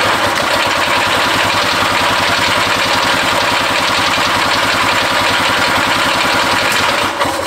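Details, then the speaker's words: Barn-find Harley Davidson golf cart two-stroke engine, fuel line newly fitted plus ether, carb adjustments guessed: ragged, uneven popping run struggling to settle; hard starting, owner thinks too much fuel or adjustments out. "um it wants to start and it's last night this thing was not wanting to even do that"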